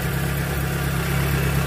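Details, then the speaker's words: Proton Wira petrol engine idling after repair of misfire/stumbling (semput) that appeared when warm or at speed; plug wires refitted, rpm needle steady, earlier vibration now gone; even low hum, normal smooth idle. "Okey. Enjin tak ada gegaranlah."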